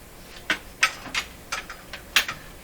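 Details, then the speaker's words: Bang & Olufsen Beocord 2000 De Luxe tape recorder: sharp, irregular buzzing clicks when engaging, from a small relay chattering with blue sparks at the contacts; cause unknown. "this is a little relay and this relay is chattering and that's what's causing that sound when i try to engage it why it's chattering i don't know i can see sparks flying in the contacts little blue sparks"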